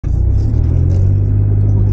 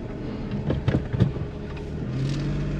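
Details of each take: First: Suzuki Kei Works 4WD: deep, steady droning rumble (gogogo) at low revs and low speed, under 10 km/h, when turning with large steering lock left or right; owner suspects a failing viscous coupling, common on Suzuki 4WDs. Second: Suzuki Kei Works 4WD after viscous coupling replacement, reversing: a few handling knocks, then a low even hum with no deep "gogogo" rumbling heard before the repair; drivetrain sounds healthy, problem appears fixed.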